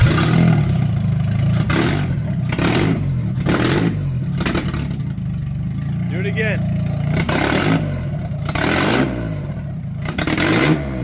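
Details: H22A Euro R swapped 1997 Honda Civic EJ coupe after swapping MAP and TPS connectors to the correct positions: catches, steady low rumble, sharp clean rev blips; runs clean.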